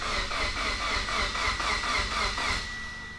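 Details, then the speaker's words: Mitsubishi Evo X with a rebuilt engine (new pistons, rods, bearings), cranking with the crank position sensor unplugged. Even cranking at about four pulses a second, with each compression stroke pushing back equally; compression sounds good. "this is the most beautiful sound in the world is my car turning over oh she sounds so healthy - sounds like sure you got some good compression"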